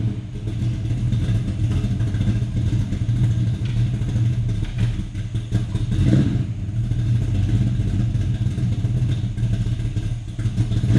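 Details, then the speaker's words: 1984 Mustang GT350 302 V8, carbureted, cold start after installing catch can with PCV rerouted to intake manifold: starts right away into a deep, even burble with no miss, tap or knock; healthy. "is still cold, but I mean, it started up right away. It's running nicely. Sounds good, sounds healthy, and it looks good."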